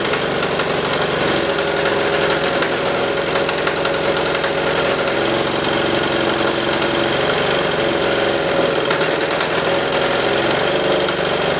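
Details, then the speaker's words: Military diesel generator running with spark arrestor fitted; uneven crackly, choked chugging, bogging down from heavy exhaust back pressure. Removing the spark arrestor made it start and run much better. "this thing was happened like loads of back pressure to the point where it was just bogging down crackling not sounding good"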